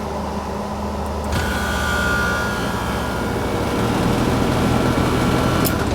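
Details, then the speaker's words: Trane condensing unit not cooling the house, disconnect plugged back in, refrigerant charge unknown: fan hum, then about a second later a deeper steady drone as the compressor starts and keeps running. "compressor started? We'll have to check the charge and have it turn it on and see."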